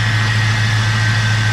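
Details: Budget SS after repairs with new radiator fitted and cooling system refilled, idling: smooth, even idle with a steady deep hum and no knocks or ticks; normal, healthy idle.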